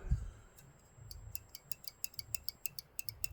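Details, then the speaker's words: Pinball vertical upkicker (VUK) switch on a King Kong machine, adjusted so it opens and closes: crisp sharp clicks about five a second in a quiet room, little orange button clicking cleanly; switch working properly. "And you can feel it on your finger here. You can feel it clicking. And if you got good ears in a quiet room, you can hear it."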